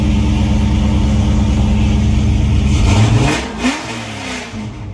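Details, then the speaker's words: 1996 Mustang engine, just swapped in, reportedly pushed oil out of the dipstick tube (possible bad ring, unconfirmed); steady mid-pitched note runs smooth for about three seconds, then winds down cleanly at shutoff with no knock or tick, running normally. "I mean, it sounds good. I was told it was pushing oil out of the dipstick tube like it had a bad ring or something. it does run good."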